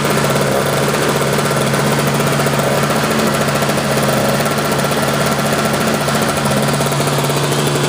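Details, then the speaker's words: Sears snowblower, non-adjustable carburetor that runs very lean, after carb rebuild, new float, bowl, fuel line, primer bulb and spark plug, warming up on half choke: steady, even run at constant speed, no misses or knocks; normal warm-up. "It's always a good idea to run these things on half choke, probably for about 2 or 3 minutes when they're warming up, because this one right here, it has a non-adjustable style carburetor, and you have to do that because it runs extremely lean out there, to say the least,"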